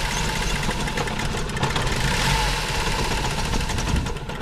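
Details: 1960 International tractor being revived, fuel suspected as the problem: uneven, lumpy running that surges and sags, tone wavering as if ready to quit; weak, faltering near-stall idle while given throttle.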